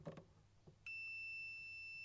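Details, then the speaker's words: Series 1 Land Rover electrical fault traced with a continuity tester: a clean continuous beep shows the headlight switch's feed from the ignition switch is dead-shorted to earth. The terminal is melted; suspected culprit is the light switch, which is taking out the ignition switch. "so let's have a look at this when there's a dead short to ground and the two connect we get a beep"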